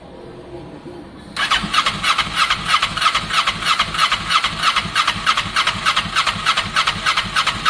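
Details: Kawasaki ER6n project bike, first start-up attempt on a borrowed new battery with old fuel in the lines: starter whirs with steady chug about three per second, no firing. Crank no start; owner thinks he hears spark, later suspects no spark, unconfirmed.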